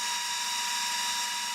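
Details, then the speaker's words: Tiny house heater blower fan on first use of the season, about 7 °C inside: steady high-pitched screaming whir with a sharp tone near 1 kHz and hiss; owner suspects a bad bearing. "There goes the noisy fan. I think I got a bad bearing."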